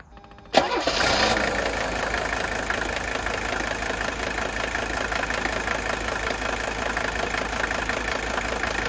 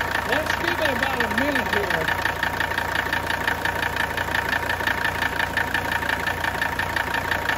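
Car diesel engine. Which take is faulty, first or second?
second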